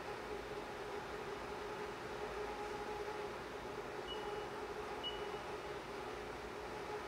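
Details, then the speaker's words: CNC milling chatter demonstration with coolant on the tool: the steady hiss of a heavy cut carries a sustained ringing tone near 400 Hz throughout. The cut is unstable and the tool is chattering; only spindle speed differs from the stable cut. "okay so the cut we heard there was unstable that was chatter"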